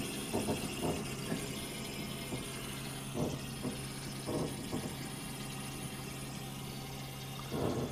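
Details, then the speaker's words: Deatschwerks electric fuel pump pressure test (25–75 psi, 58 psi base), 12 V, 8 A; constant low hum with rough whirring buzz, no leaks; pump abnormally noisy without affecting pressure, manufacturer confirmed and replaced under warranty. "That noise kind of bothers me."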